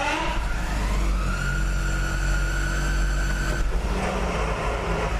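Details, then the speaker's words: Jeep with NAG1 (722.6) automatic, heard from inside the vehicle at startup and shifting neutral/drive/reverse: steady high-pitched whine over low drone, changing with gear selection; cause was stripped pump stator where it fits the converter. "I'm sure you can hear that little high-pitched whining noise."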